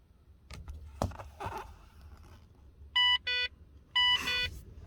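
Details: VZ SV6 Commodore that won't start by key, engine not running: pairs of short bright three-tone chimes about once a second, with fuel gauge error and service vehicle messages; warning of a dead ECU, common on these.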